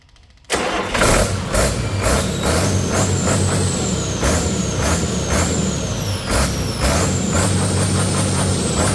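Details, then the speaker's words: Detroit 40 series (rebranded Navistar DT466) generator turbo diesel, sat outside 5+ years, running on its own fuel after bleeding injectors: speed hunts every second with wavering turbo whistle, throttle pulsing; owner suspects the flywheel governor. "I don't know why it's jumping like that. The throttle itself is going back and forth. See if I can get that pump to smooth out at all."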